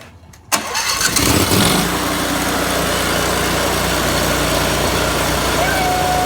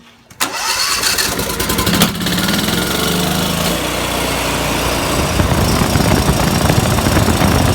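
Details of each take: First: Briggs & Stratton Vanguard twin that cut in and out from a spark fault, after fitting a cleaned used ignition coil gapped at 0.012 in: fires after a short crank and runs steady and even on both cylinders, no misfire; normal running. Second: Briggs & Stratton Vanguard twin with spark testers fitted: runs with an uneven, lumpy beat, one cylinder cutting out and back in as its spark flutters; bad ignition coil.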